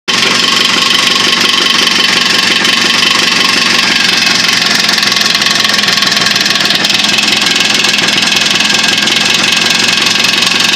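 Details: Jawa two-stroke with new piston, wrist pin, needle bearings and rebored cylinder: steady buzzing idle with a rapid metallic knock riding over it every revolution; engine knock, source unknown to owner.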